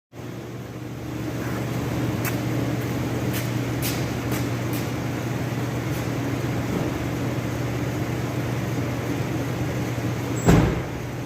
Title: 1998 Ford ranger xlt clunking noise